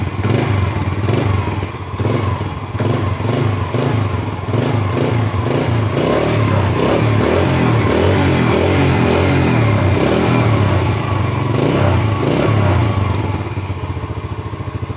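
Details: Motorcycle started by newly installed remote starter alarm module: catches at once, settles into an even, steady putter with no knocks or rattles; normal start and idle.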